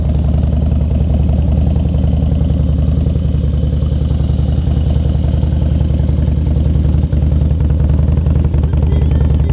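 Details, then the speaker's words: Harley-Davidson Twin Cam 88 with fresh Feuling cam chest install, ThunderMax tune, lifters pre-soaked and oil pump pre-lubed, first start: steady, even V-twin idle with regular lope, no tapping; sounds healthy. "filling that oil pump full of [ __ ] like lube and stuff it sounds good healthy"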